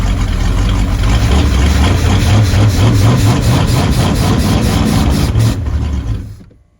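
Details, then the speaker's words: Supra TS6M ski boat, once sunk and sitting about four years, first run with choke; exhaust gives a deep even burble with steady pulses and no misses, healthy idle despite corroded carburetor bowls and passages. "I'm actually surprised that it runs so good that carburetor is all corroded inside"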